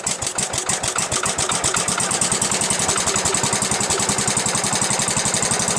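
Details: Gravely Commercial 12 after repair (carb bowl cleaned, flywheel ignition module gives good spark, transmission oil low): catches quickly, then a steady, even single-cylinder thump at about four beats a second; runs fairly smooth, carb still needs adjusting.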